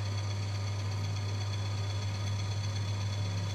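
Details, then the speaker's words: Friction tester running Proton CVT gearbox oil, pulley turning with no load applied: smooth, steady low hum, no scraping or knocking; normal no-load running. "Maksudnya dalam keadaan dia tiada bebanan, tiada bunyi."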